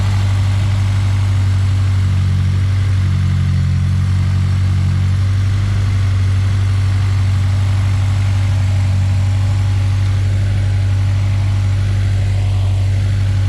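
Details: Honda S2000 being fixed for a sputter, after swapping the fuel injectors: steady, even low idle hum with no hunting, surging or sputter; no leaks seen.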